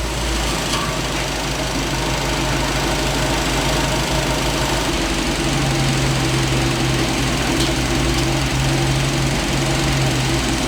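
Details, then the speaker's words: Big-block Ford V8 swap truck, still without planned heads and cam: deep loud steady rumble at warm-up idle, even beat, no knocks or misses; healthy. "this microphone doesn't do a whole lot of J with how much Rumble this truck actually has"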